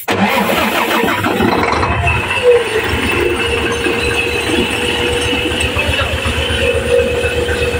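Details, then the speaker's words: 6M70 double-EGR diesel (single-EGR pressure pump and injector design) that starts hard and needs electronic contact cleaner sprayed in; it cranks briefly, catches and settles into an even clatter with no misfire. The injectors were bench-tested and found okay. "Ito yung problema niya mga ka-desel. Hard start siya mga ka-resel. Pero kung gamitan natin ng electronic contact cleaner mga ka-razel ay aandar naman siya."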